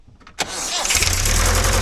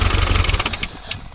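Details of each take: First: Toyota 18R engine after swallowing a 12mm rocker cover nut, retimed with a new timing cover: catches and settles into a fast idle with a loose, clattery rattle; source of the rattle unclear, possible damage unknown. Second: Toyota 18R engine after retiming and new timing cover, following a swallowed rocker cover nut: fires and runs with quick, even pulses, no heavy knock, some light top-end rattle; normal start.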